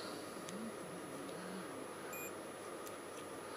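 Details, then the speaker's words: Suzuki GSXR 1000 front brake light switch, multimeter continuity check across the switch after 7.69 V supply confirmed at the connector: one short high beep, the switch closes the circuit. "and then continuity check across your switch to make sure it's making and breaking a circuit"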